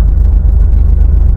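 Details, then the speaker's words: 2003 Jeep Wrangler TJ after a new battery and new starter: deep, even running thump, starts without problem; intermittent no-crank remains, and the owner plans to replace the ignition switch actuator and switch; normal start and idle. "it is now as you can see where it wants to start up no problem"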